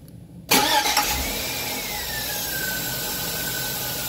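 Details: 2003 Chevy after fitting a new Gates belt (water had briefly stopped the squeak; belt conditioner made it worse): the starter cranks and the engine settles into a steady idle with no chirp or squeal. Belt drive now quiet.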